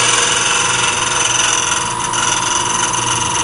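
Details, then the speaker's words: Wood lathe at about 1200 rpm re-flattening the face of a glued-on segmented ring on a faceplate: steady hissing scrape of the tool with a slight uneven flutter as the cut skips, meaning the piece is not yet running true. "long as you hear that that sound it means it's not running true"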